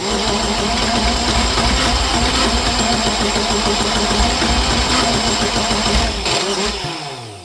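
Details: Untested junkyard Universal M25XP marine diesel: cranking catches into ragged, uneven firing, then dies after about six seconds. Cylinders 1 and 2 get no fuel due to an injection pump fault.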